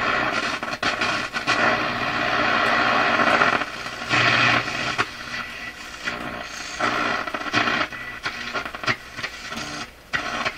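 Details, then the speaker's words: Florida AM/FM/SW tube radio on AM: irregular crackles and scratchy bursts over hiss from AM tuning capacitor plates shorting, occurring when capacitor almost fully meshed. "Notice the capacitor is almost completely meshed when the problem occurs."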